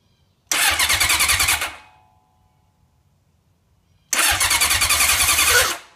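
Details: 1980 Honda CB750 motorcycle: two short cranking attempts, each a harsh, pulsing metallic starter grind, and the engine never catches.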